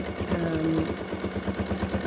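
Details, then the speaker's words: Free-motion quilting on a sewing machine (Superior needles, Wonderfil thread) at the right speed: a steady, even needle beat of about eight strokes a second with a soft calming hum and no clatter. Normal smooth running. "can you hear that nice humming beat that my machine has that's the noise you want to listen for it's a really calming noise you know your machine is in the right position speed wise it's in the right"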